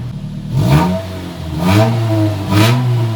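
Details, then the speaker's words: 2004 Nissan Sentra Spec V with a JDM swapped QR25 and stock exhaust: three clean revs rising and falling smoothly, deep but moderate volume, no rattles or misses; normal exhaust note. "i prefer the stock exhaust maybe if we boost it someday it'll be loud again but right now sounds just like the light sentra did same exact exhaust and motor so it should um that's nice i can talk over it i'm happy with that"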